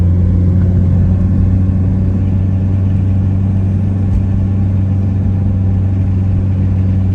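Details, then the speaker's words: Mitsubishi Evo 8 MR after an engine swap, driven on the road. A steady, deep, smooth engine drone with no knocks or misses; it boosts fine and the blow-off valve is audible: running normally. "all right boys so we driving her now she seems good it runs good it boosts fine you can hear the blow off I'll get on it a little bit oh she sounds spicy"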